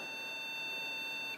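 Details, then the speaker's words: HP Pavilion a6110n desktop gives a single long, steady high-pitched POST error beep at power-on; research pointed to a memory problem, but it persists after downgrading to 1 GB PC2 RAM, so a bigger fault is suspected; power supply dead. "Sounds like there's an even bigger problem than that. So, I think this thing is just a giant lemon."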